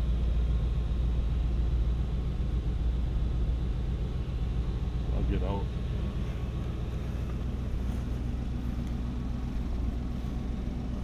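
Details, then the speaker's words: 1959 Buick Electra 225 with 401 Nailhead V8, just foot-pedal started: deep, steady, even rumble with no misses or knocks and a slight electric fuel pump clatter. Normal, healthy idle. "sounds good. You can hear the electric fuel pump clattering a little bit. Super nice."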